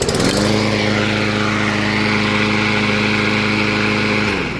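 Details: Craftsman push mower, 163cc Briggs & Stratton with plastic carburetor, after carb cleaning: steady, even single-cylinder hum at constant speed, no misses or surging; running smoothly.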